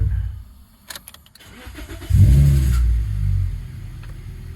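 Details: 2005 Toyota Corolla XRS that intermittently clicked and wouldn't crank, after cleaning battery terminals and grounds (starter and battery tested good): light clicks, then cranks, catches quickly, steady idle; suspected bad ground.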